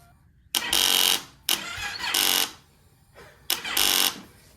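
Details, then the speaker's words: 2015 Yamaha YZF-R3, sat for years, fuel pump replaced: short strained cranking bursts that cut out without firing, even with a jump pack; 10-year-old battery too weak, fuel pump priming with no leaks. "The fuel pump is working. The battery's not. This battery's 10 years old."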